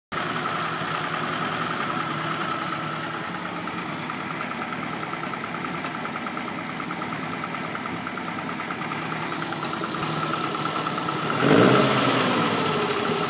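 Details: Lotus Elan before carburettor cleaning and tuning: uneven, lumpy idle with an irregular beat and wavering note; runs rough, cause not pinned down.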